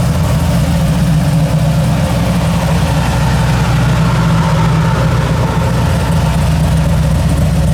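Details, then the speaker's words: G48 car with newly completed exhaust, in neutral: smooth steady low idle rumble, no knocks or misses, much quieter than before; slight belt squeal from manual tensioner needing tightening. "oh wow it sounds really good wow [Music] it is much much quieter I got a little bit of belt squeal manual tensioner I got to tighten it [Music] up"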